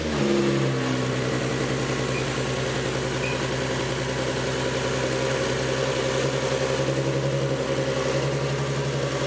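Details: Nismo 370Z idling after an oil cooler install, restarted once the leaking cooler fittings were snugged up. Steady, even idle with a smooth low hum and no knocks, ticks or misses; no oil leaks this time.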